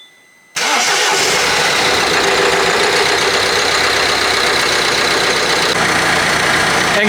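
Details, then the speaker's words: 2010 Citroen Berlingo XTR 1.6 litre diesel with 260,000 km, first start in at least two months after engine-bay reassembly and coolant refill. The starter whirrs briefly, it fires first go and holds a smooth, steady clattery idle; coolant holding. "guys, the car behind me is a 2010 diesel, 1.6 litre diesel with 260,000 kilometers on it. Started up, first go, and runs like a dream."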